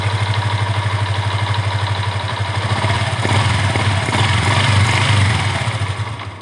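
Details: Yamaha Exciter motorcycle being checked for severe hesitation and jerking. The single-cylinder idle hunts and wavers instead of holding a steady beat. The idle is unstable because the idle air adjust screw is broken; backing it out stalls the engine, and a replacement screw is planned.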